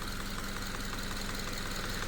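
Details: Subaru FB engine after a no-oil-pressure repair (pan debris cleared, pickup screen removed, oil now going pickup-to-filter-to-journals) runs an hour with revving: smooth steady idle, even low purr, no knock or tapping. Normal idle.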